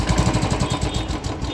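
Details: Royal Enfield Bullet Electra (Black Panther) just after an oil change to Motul, fitted with the original stock silencer and a BS3 bend pipe. An even, deep exhaust thump at about ten beats a second: a healthy single-cylinder idle with no knock.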